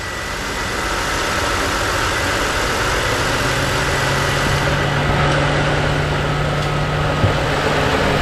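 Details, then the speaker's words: BMW E92 325i N52 manual petrol engine idling smoothly and evenly with a faint steady hum after the engine rattle fix; the rumble has gone, no rattle. "rumble has gone there we go one little thing fixed"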